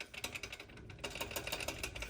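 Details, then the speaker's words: 2008 BMW 135i stock turbo, removed during a single-turbo install: a loose wastegate flap shaken by hand gives a fast, light metallic clatter of about eight ticks a second. The turbos were also smoking, suspected worn seals. "And then there was a decent wastegate rattle as well. Kind of hear that."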